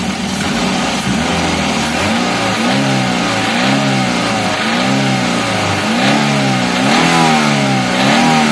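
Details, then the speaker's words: Daihatsu Gran Max minibus, K3-DE 1.3 engine, noisy and lacking power: on repeated throttle blips the revs sag back slowly instead of dropping cleanly to idle; suspected valve clearance fault with severe leakage. "Oh, putaran mesinnya lambat turun. Penurunan RPM secara perlahan tampaknya disebabkan oleh celah katup."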